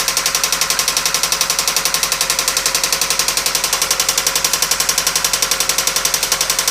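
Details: 1997 Toyota Camry, engine knocking: sharp, very even knock about three to four times a second over a quiet idle; the knock developed while driving, with engine cutting out and white exhaust smoke; head gasket failure suspected, not confirmed.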